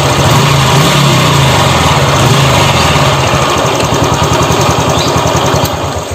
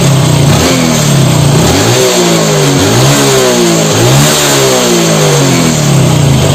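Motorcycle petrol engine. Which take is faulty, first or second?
first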